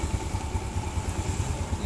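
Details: Suzuki Smash/Shogun single-cylinder motorcycle after fixing a rough clattering sound traced to a loose timing-chain tensioner, modified with a 6.5 cm 10 mm bolt and locked nut; even, steady low thumps at idle, no clatter.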